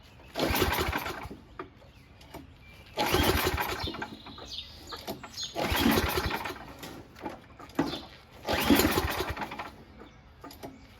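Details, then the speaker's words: Noma/Murray Snow King 27" dual-stage snowblower, 9HP Tecumseh, before repair, with gas in it, oil good, primed, on choke and throttle high: four recoil pulls spin the engine but it never catches. The owner suspects no spark, possibly the shutoff. "hmm doesn't seem to have any spark maybe oh maybe this shut off maybe that's it"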